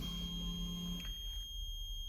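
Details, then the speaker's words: TVR Cerbera 4.2 V8, from the driver's seat before starting: the fuel pump primes with a faint hum and the MIL lights, then a steady low continuous beep holds about a second; normal signal that the car is ready to fire. "You could just hear the fuel pump prime, and you've got the mill light on, and you can hear that little beep, that continuous note. That means it is ready to fire."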